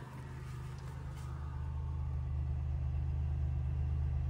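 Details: Flooded Buick Rendezvous (high water) settling into a steady idle after building oil pressure: low, even rumble. The earlier knock no longer comes through and it sounds perfect: normal idle.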